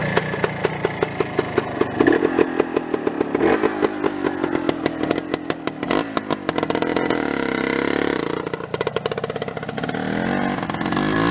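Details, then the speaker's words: 1981 Suzuki TS250 two-stroke, barn find with new piston rings, rebuilt carburetor, new oil and oil injection lines, no battery; crisp even firing, picks up cleanly on throttle blips without misses; normal running. "I do have the title for this one, and this runs out really nice. Drives actually really well."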